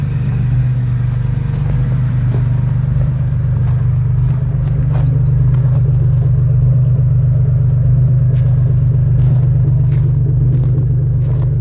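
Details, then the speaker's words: 1st-gen Toyota Tacoma 3.4L V6 (5VZ-FE), the day after replacing the idle air control valve and a 15-minute relearn idle: a deep, even idle rumble holding rock steady with no surging or hunting. "All right, it's the next day. She is rock steady."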